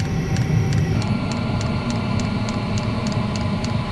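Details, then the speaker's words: Chinese diesel heater in a van, just taken apart and reassembled and still noisy: a steady low roaring rumble with regular light ticks about three per second; the exhaust is loud. "okay so far so good I have got an air bubble there but I don't think it's gonna reach for the air in there does make a lot of noise"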